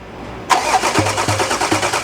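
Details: 2016 diesel Range Rover that died while driving: the starter cranks steadily at about two and a half compressions a second with regular pulses, and the camshaft turns, but it never catches. The no-start was caused by catastrophic CP4 pump failure that left metal shavings throughout the fuel system.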